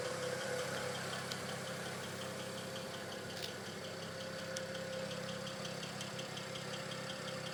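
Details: BMW N54 direct-injection engine at a quiet idle: a fast, even, light ticking over a smooth hum, normal injector noise, nothing wrong.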